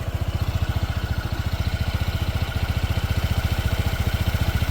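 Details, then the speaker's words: New 2025 Honda PCX 160 CBS, about one month old, before its first service: steady low idle thump, slightly coarse but even, expected to smooth out with more kilometers; slightly rough idle, engine breaking in. "Jadi kasar, teman-teman. Nggak kasar-kasar banget sih. Ini cukup wajar bagi Mas Bejo."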